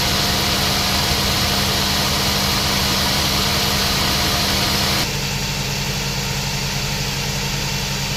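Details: Nissan NV van at idle, original loose A/C compressor before replacement; A/C not cold, high system heat, leaks, cabin vent 4.6; heavy hiss and rattle that stops abruptly as the clutch disengages — loose A/C compressor noise.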